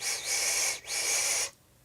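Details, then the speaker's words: Phobia RDA vape before the fix: two loud, airy high-pitched whistles on each draw, caused by a misplaced airflow separator. Repositioning the separator stopped the whistle. "that frickin noxious whistling noise"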